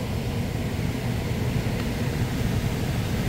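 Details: PSC blower motor replacing an ECM motor, wired with relay and capacitor, thermostat bypassed for test, drawing 3.1 amps: smooth even low whoosh at steady speed, no rubbing or ticking; rotation correct, normal operation.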